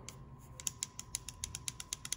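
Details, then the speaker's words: Sharp metallic clicks, about six a second, from a loose, worn throwout bearing rattling in the hand, removed from a 1991 Ford Mustang GT convertible that rattled at idle in neutral; it had been banging on the input shaft retainer. "that should not have any rattle in it whatsoever here's versus a new one right they're solid okay it's actually it's it's quite tight to even turn but yeah that rattle that you can hear there should be no movement in there so that was just banging around on that input shaft retainer"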